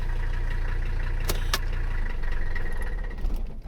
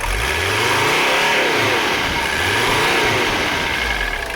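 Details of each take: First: Mercedes 300CD diesel, after valve timing adjustment, just started cold on a very hot day: steady low idle with light even clatter; diesel clatter a little more than before, car functional, owner hopes it improves when warm. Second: Mercedes 300CD diesel, not yet at operating temperature, after valve adjustment, fuel line repairs and running diesel purge through the upper fuel system: even clatter, revs rise and fall smoothly and respond quickly; running cleaner.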